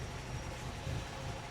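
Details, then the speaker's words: 1964 Triumph TR4 rebuilt engine, old distributor rotor with play refitted for comparison: low uneven lumpy idle; scope shows high resistance on cylinder 4, normal with new rotor; rough idle from worn distributor rotor. "So just for shits and giggles, I want to see how she's going to run with the old rotor. Then we're going to put back the new one. So she idles very rough for whatever reason with this."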